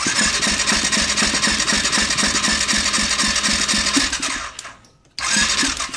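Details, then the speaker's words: Suspected 2020 CF Moto 400 ATV single, sold as blown engine: compression test cranking at wide open throttle, quick and even at about four pulses a second with little resistance; gauge reads only 30 PSI, low compression; owner considers piston rings. "Yeah, we got a whopping 30 PSI. So, not looking good on the $350 CF Moto here,"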